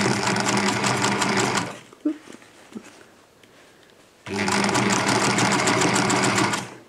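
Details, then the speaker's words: Vintage sewing machine running on its newly replaced, better-working foot pedal: fast, even stitching whir at about four stitches a second in two runs, with a faint squeak riding on it; the squeak's source is not identified. "you can hear the little squeaky sound coming from here"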